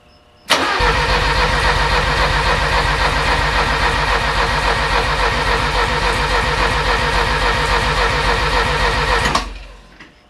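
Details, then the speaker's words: Porsche 924 with rebuilt engine, first start attempts with fuel supplied: steady starter cranking about 220 beats a minute for nine seconds, never catching or firing; cranks but won't start, cause unknown. "my question is why isn't it firing if I'm telling it it's got gas it's got gas now right"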